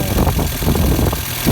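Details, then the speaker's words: 1986 Volkswagen Cabriolet project car idling in neutral on a very windy day, waiting for the cooling fan to kick in: low steady idle, no knocks or misses; normal idle. "yep see still runs okay so this might take a minute or so for the for the fan to kick in"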